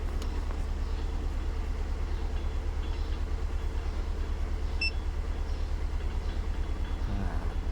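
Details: Honda Civic FD with R18A engine, rebuilt with several sensors replaced; lumpy idle pulsing about three times a second with deep shake; misfire on cylinders 3 and 4, codes P0353 and P0354 stored.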